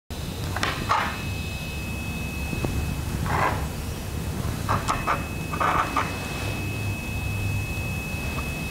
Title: s3221qs Speaker Noise / Coil Whine